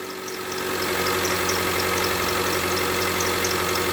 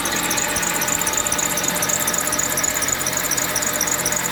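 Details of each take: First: Mitsubishi Lancer X running on gas (LPG), cold, after the broken crankshaft pulley was replaced: an even, steady idle with no knocking, just a touch of cold roughness. The engine sounds healthy. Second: Mitsubishi Lancer X at idle, oil sprayed around engine: sharp rhythmic knocking about four times a second from the engine front; crankshaft pulley damper rubber broken causing vibration, pulley bolt backed out hand-loose, pulley replaced.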